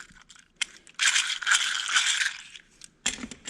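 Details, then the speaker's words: Caterpillar RD4 antique tractor transmission bearing spun by hand on the bench: dry, gritty rattle rising and fading with loose clicking as it slows; bearing is junk. "And first things first, just listen to this bearing. And that thing is just completely"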